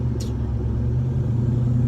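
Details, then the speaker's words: 1967 Chevy C10 shortbed, driving: deep steady V8 rumble under light throttle, clean with no knocks or rattles; exhaust sounds really nice. "exhaust sounds really nice really hurt"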